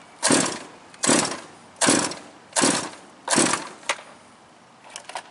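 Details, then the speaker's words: Quarter-scale RC car with Super Modified 2 Rayco chassis, 98 GT40 body and marine engine, just driven through water; five sharp pull-cord rasps about a second apart, engine never fires: fails to start on pull, plug suspected wet. "I'm not done yet. I got a couple more pulls in me. I'm gonna say the plug's wet."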